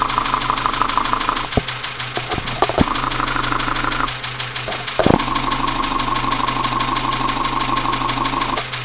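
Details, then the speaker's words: Dacia Sandero, Renault D4F 1.2 petrol, recorded through a stethoscope: uneven knock about three per second under a whining idle, suggesting internal bottom-end knock; owner suspects low oil and possibly a spun bearing, unconfirmed. "put the headphones on and we'll see if we can get a recording of this engine knocking sound so here we go [Applause] so you can clearly hear the knocking all right"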